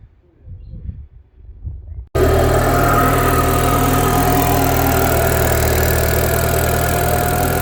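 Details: Citroën DS3 at idle with a raspy puffing chuff from underneath; the downpipe is hanging off and blowing at its joint. Decat performance downpipe install abandoned because the O2 sensor wouldn't come off, so the exhaust leak remains.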